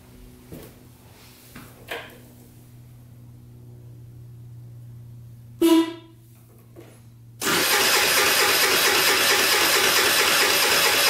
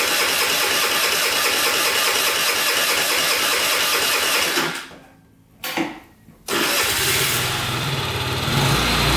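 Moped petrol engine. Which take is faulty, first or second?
first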